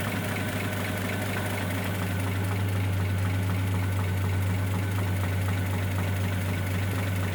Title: 1941 Chevrolet 216 stovebolt 6 strange engine noise